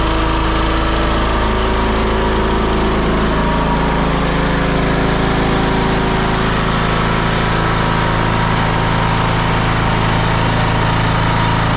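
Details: John Deere L108 riding mower, deck slows when mowing; muffler bolts fell out and wouldn't tighten. Loud, coarse idle with a steady shaking rattle about three times a second: engine rocking on loose mounting bolts, loose exhaust rattling.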